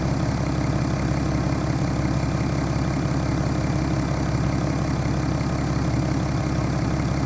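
Diesel idling with a deep, steady knock under the clatter at roughly two per second, typical of a worn rod bearing.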